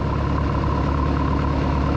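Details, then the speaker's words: 1976 Mark Twain boat with a 120hp Mercruiser, once-seized engine, after an oil change with water flowing and before valve adjustment: soft, even idle with a steady low hum and no ticks or knocks, running smooth and quiet. "that is so quiet let's go get the ranch and let's get to adjusting these valves"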